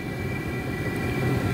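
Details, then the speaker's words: Cheap Chinese diesel heater, first test run on 110V house power via fused 12V adapter, no muffler, air intake not hooked up: steady hum, rumble and high fan tone; running normally, hot exhaust without smell. "so this is also running with no muffler uh and i don't even have the actual air intake hooked up see because it's just a test run but i tell you this exhaust is pretty hot it doesn't smell"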